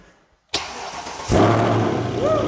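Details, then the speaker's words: Mercedes C63 AMG with M156 V8, engine freshly rebuilt in two days; quick crank then deep even burble settling into steady idle; healthy start. "have you ever been in an m156 car before Oh man you're in for quite the treat here listen to this glorious gloriousness"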